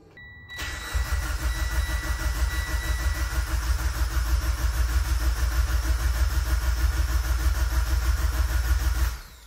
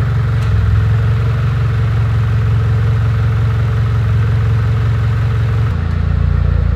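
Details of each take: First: Mitsubishi Evo X with brand-new engine, first start attempt in over two years: starter cranks evenly about three turns a second for nine seconds, never fires; good oil pressure on crank, spark plug bone dry, no fuel delivery. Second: Mitsubishi Evo X, first start after over 2 years with a brand-new engine, fuel pump fed through a jumped relay: low, steady idle without knocks or misses, good oil pressure and AFR, slight smoke possibly coolant; idling well.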